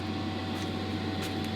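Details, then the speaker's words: VW Crafter camper's AutoTerm 4D diesel air heater, newly fitted and running on high from a Bluetti AC200MAX power station: a constant loud fan roar with a steady hum and no surging. It is normal running and will be boxed in with furniture board. "yeah, you can hear it's obviously pretty loud, but it will all be boxed in. I put furniture board all around the side here, and it doesn't run at this volume all the time."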